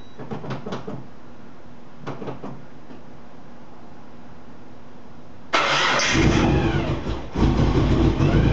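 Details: Mitsubishi VR4 with a brand-new engine: several cranking bursts, then it catches around five seconds in and runs loud and rough; odd start-up noise, smells strongly of fuel, cause unclear.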